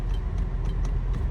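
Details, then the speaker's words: 2006 Honda Odyssey, engine idling: passenger and rear power windows make faint sharp clicks in each door but do not move, no motor whir; driver window, locks and mirrors work; faulty master window switch suspected, possibly a bad circuit trace. "however the wind windows for the passenger side and the rear windows to not go up and down there's a little clicking you can"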